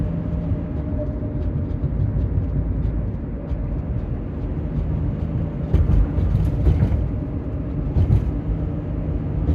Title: 2007 Honda Element 4WD whine noise